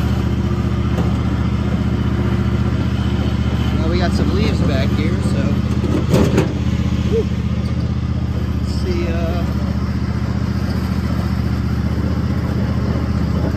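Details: Toro TimeCutter 5000 zero-turn mower after maintenance (parking brake adjusted, deck refitted), test-run on leaves: steady low engine drone with blades whirring under load, even, no knocks or squeals; cutting properly.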